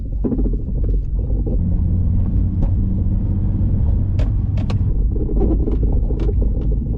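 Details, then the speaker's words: Acura TSX 6-speed manual sedan, K24 VTEC 200 hp, clutch reportedly changed about 30,000 miles ago, being restored for resale: low road rumble with scattered creaks and groans over bumps while driving; suspension creaking, cause not pinned down. "if you don't believe me that this thing creaks and groans"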